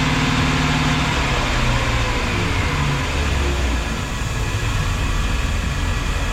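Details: Volvo Penta 5.7 marine V8 in a 2004 Chris Craft 33 Express Cruiser, after the serpentine belt was installed despite a broken tensioner adjustment square and hoses were reconnected. A steady low rumble with an even beat and no slap, squeal or misfire. Normal idle.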